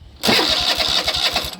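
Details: Toro TimeCutter zero-turn mower with a Kohler engine, started on the key after the starter solenoid was replaced: brief crank, then the engine catches quickly and settles into an even, steady run; normal cranking and start after repair.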